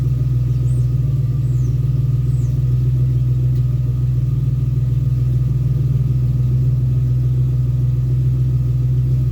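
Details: 2001 Ford Ranger XLT 4.0 V6, after a long morning crank, idling: a steady, even low hum with no misses, knocks or ticks. It runs normally once started.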